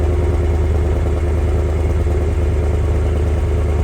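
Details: 1988 Dodge Ram D150 pickup idling, exhaust listened to with stock muffler still fitted; low, even rumble with very muted exhaust note and no knocks or rattles; normal quiet idle exhaust.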